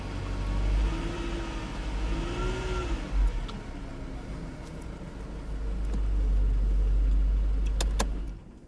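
Steady low engine hum with a few smooth revs and no tapping or rattle on top; it runs clean and even, sounds healthy.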